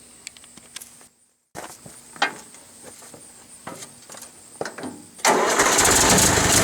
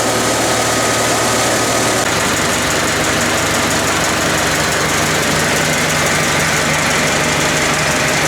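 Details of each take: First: International IH 354 tractor running, spitting and sputtering after running fine a minute, worse after 30–40 minutes of bush hogging; irregular pops and misfires, carb suspected first but cause was dirty misadjusted ignition points, fixed with new points and condenser. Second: International Harvester 354 tractor, running 3–4 minutes after a wire repair and cleaning the points and resetting them to 14 thou: even, steady engine note with no misses or sputters. The earlier sputtering was an ignition problem.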